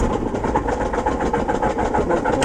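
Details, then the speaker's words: Aircraft engine at start-up: throttle pumped only while cranking. Fast, even chuffing from the engine turning over, never firing or picking up speed; it is thought to have flooded. "and then the throttle no only when you're cranking it okay that'll flood it okay crank it"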